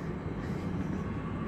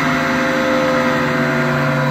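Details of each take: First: AAON rooftop unit fan, 1 HP 460V three-phase Baldor motor on a VFD, after replacing noisy bearings in a 14-month-old unit: low, smooth, steady hum with no squeal or grinding; normal fan motor running. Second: AAON rooftop unit, about 14 months old: 1 HP 460 V three-phase Baldor fan motor on a VFD. Steady drone with a rough, wavering growl and shifting tones from worn motor bearings.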